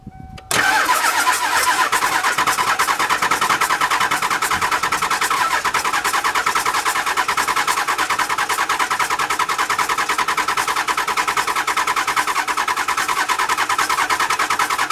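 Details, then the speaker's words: 7.3L Powerstroke diesel after injector replacement (failed external o-rings leaked oil into fuel): long steady starter cranking, about 2.5 turns per second, over three or four cycles with no catch while re-priming; extended cranking before start, only hit a couple times. "all right after some long crank in there it probably took about three of those cycles maybe four four shorter ones but uh you know some pretty heavy cycling there and I got it to hit just a couple times so I stopped"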